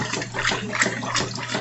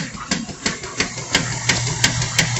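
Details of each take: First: Washing machine sloshing smoothly through its wash with no knocking, after a missing screw that caused a knocking noise during washing was fixed. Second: Washing machine during wash: sharp knocking about three times a second over low motor hum; caused by a missing screw that had come out.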